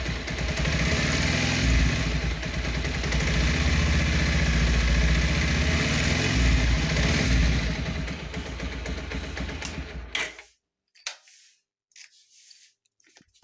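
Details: Bajaj Pulsar 125 BS6 motorcycle: quick, fairly regular light ticks, roughly four a second, over the engine's running note until shutdown, a "tik tik" top-end tick.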